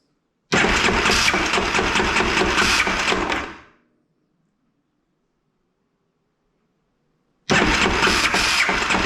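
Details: 2001 Yamaha Kodiak 400 ATV, new starter clutch fitted and starter refitted: two cranking bursts of about three seconds with harsh rough grinding over the starter whir and no catch, sounding the same as before; owner unsure if starter or one-way bearing.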